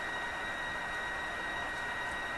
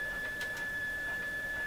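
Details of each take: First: Mohawk Serenader farm radio fed a 1 MHz signal-generator signal at the antenna, dial reading about 1; steady high whistle near 2 kHz with a fainter one near 4 kHz over even hiss; the set receives but squeals; receiver squeal. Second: Mohawk Serenader farm radio being checked for reception: a signal generator feeds about 10 then 100 microvolts into the antenna wire. A clean, steady high test tone holds over faint hiss, so the radio receives normally.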